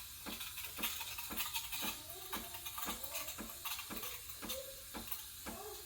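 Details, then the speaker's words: Breville Barista Express BES870 steam wand at full pressure, tip near the milk surface: soft steady hiss with light chirping tick as air is injected; correct milk-texturing hiss. "you wanna you wanna be hearing this noise that hissing noise that means i'm injecting into the milk and giving it that creamy"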